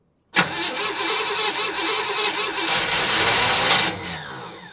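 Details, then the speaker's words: 1965 Chevrolet Impala, start attempt after sitting 20 years: short crank, then catches on brake cleaner sprayed as starting fluid and runs rough and uneven before tailing off; won't run without help, smoky exhaust smelling of gas. "Looks like the poor thing needs a little help. Let me get a little help for it. 12 seconds later. Little brake cleaner, man."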